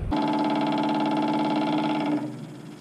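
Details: WWII half-track fuel pump test, line disconnected from the carburetor and run into a jug to flush muddy fuel: steady electric hum at one even pitch, winding down after about two seconds; pump working normally.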